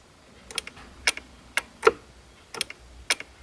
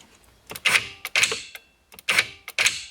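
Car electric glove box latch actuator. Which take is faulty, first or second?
first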